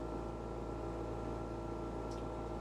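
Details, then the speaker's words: Dometic Penguin RV rooftop air conditioner running; constant droning hum with a low buzz under the fan rush and no knocks, the unit vibrating against the roof gasket because its mounting bolts are loose: vibration hum. "it's a vibration or a humming which is actually very easy t"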